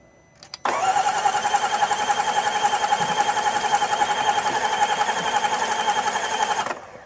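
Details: 2018 Range Rover Velar, crank no start after battery died: starter cranks about six seconds at nearly four beats a second, uneven lopsided rhythm, no firing; fuel and coil control present.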